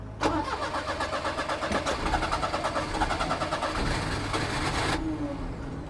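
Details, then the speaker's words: 1988 Daihatsu Hijet mini truck after sitting for years, jump pack attached: starter churns, engine tries to fire but won't start, strong fuel smell; owner suspects fuel pump over-pressurizing without a regulator and flooding it. Unconfirmed. "I'm thinking that fuel pump pump is over pressurizing everything cuz I don't think there is a pressure regulator in there and it's just flooding it out"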